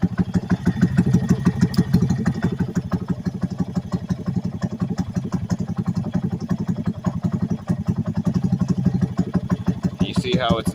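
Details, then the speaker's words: 2020 Honda Grom, stock ECU, warm at 146°F, after switching O2 input from narrowband to wideband: loping, uneven single-cylinder idle around three beats a second, pulses varying, running lean. "changed the way the bike runs you can hear the bike doesn't like that much"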